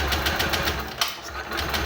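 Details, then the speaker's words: Honda Genio scooter with lost ignition, possibly from coil, stator or ECM: during a test with a lead on battery positive and the light-green wire, the starter cranks about six or seven even beats a second, never firing; no current at all, cause unconfirmed. "nggak ada arus sama sekali ya. Kita start lagi, kita engkol."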